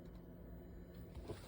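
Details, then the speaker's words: Newly installed 2 kW heater in a Montana off-road caravan, remote-started in its warm-up cycle before the fuel pump kicks in and before ignition; quiet steady fan whirr with faint even ticking, no scraping, normal warm-up. "it's up here you just hear the fan [Music] ticking and the pump is not quite ready yet"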